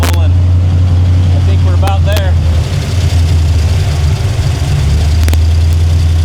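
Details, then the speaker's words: El Camino during tuning, after clearing the learned table, adding a PCV valve and turning the idle down, in gear: deep steady idle, even rhythm, no misses or hunting; sounds happy. "Yeah. Let's see how it's going to be now. Sounds good. >> Yeah, it's good. I think it's pretty happy."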